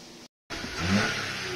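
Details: VW Fox 1.2L, engine code BMD. Its throttle body had been replaced and it idled unstably and would not accelerate; the issue is now resolved. The engine revs up cleanly and smoothly with no stumble or hesitation.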